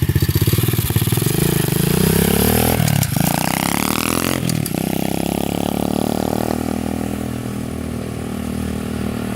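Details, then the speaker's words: SSR 125 pit bike after pilot jet clean, still being carb-tuned: throttle blips climb unevenly, popping and breaking up before a ragged idle; rider thinks it runs a little lean, cause unconfirmed. "it seems a little lean to me"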